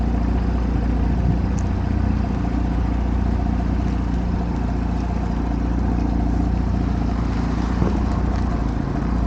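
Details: 2022 Audi S5 Sportback idling after oil change and service reset, before oil level check: steady even low hum with no knocks, misses or surging; normal idle.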